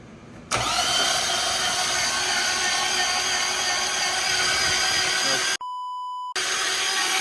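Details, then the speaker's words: Nissan Titan V8 cranks fast and evenly for several seconds but never fires; spark plugs were fuel-soaked, injectors disconnected and fuel pump removed while testing for spark; crank no start. "it turns over but doesn't want to start"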